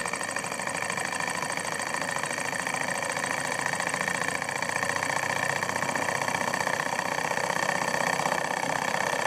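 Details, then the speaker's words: Cheap Banggood Stirling engine kit, test run after the upgrade (smoothed, power piston left dry, side hull screw refitted): fast, even whirring with only faint light clatter; runs faster and much quieter, less metal-on-metal noise. "well look at it go it definitely runs a lot faster now in fact my entire table is shaking another thing I immediately noticed is that it runs much quieter as well much less metal-on-metal moons"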